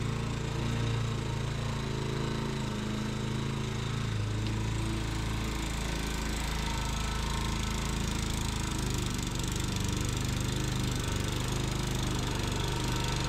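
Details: Tecumseh single-cylinder engine on a Sears Eager One lawnmower, restarted after a makeshift fix shimming the knocking connecting rod with beer-can metal; throttle halfway, may smoke from oil added to rings; steady even drone, knock gone: normal running.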